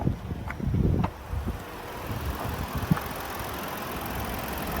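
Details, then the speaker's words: 2017 Ford Explorer Police Interceptor 3.7 V6 at idle, hood open, no check engine or warning lights, low on fuel: after brief handling bumps a smooth, steady low idle with no knocks or ticks; normal, like every Ford 3.7. "Sounds just like every Ford 3.7."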